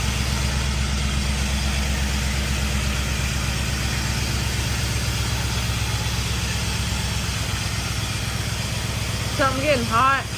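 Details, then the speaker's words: 1951 Chevy with LS swap, first start-up: lumpy, uneven loping idle with missing pulses, running on only four cylinders; one bank's injectors aren't firing right. Misfire, cause suspected. "So, when you guys heard this thing are running, it was literally only running on four cylinders. And uh this whole side over here, the the injectors aren't firing right."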